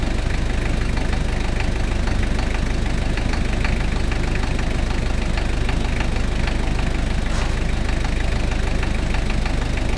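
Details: 1KZ-T diesel at idle: steady diesel clatter with a hard, regular knock about twice a second riding over it; abnormal engine knock, cause unknown.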